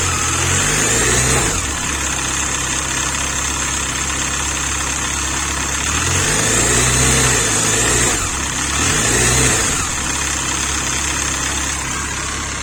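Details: Engine after alternator removal, idling and revving: rough, fairly regular beat rising and falling with speed, so the noise persists without the alternator; source unknown.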